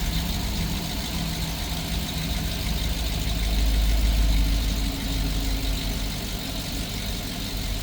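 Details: GMC engine idling after replacing the cylinder 6 spark plug, ignition wire and catalytic converter for a cylinder 6 misfire and P0420 code: steady, even idle with smooth low rumble and no skipping beats.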